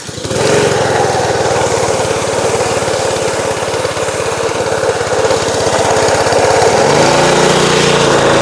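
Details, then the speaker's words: Small gasoline pressure washer engine (fuel on, choke on) runs rough and uneven, bogging under load with a pitch shift near seven seconds; owner believes the pump's unloader valve isn't relieving pressure when the handle is released. "Uh but uh so the uh I believe it's called the unloader valve. The valve down here at the bottom that's supposed to relieve the pressure"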